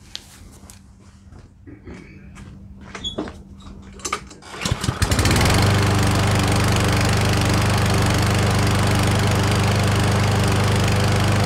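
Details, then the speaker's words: Certified self-propelled push mower after a carburetor clean, fresh oil and fuel: it starts after a few pulls and settles into a steady, even drone with no stumbling, surging or oil leaks; normal running. "all right so she's running like a top I don't see any leaks at all out of the oil dipstick there"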